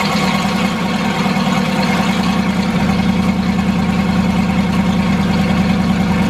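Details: Turbo Foxbody Mustang V8 after fitting an EGR block-off plate: deep, loud burble at a steady, even idle with no stumbles, turbo sound audible; idle now fixed and running smoothly.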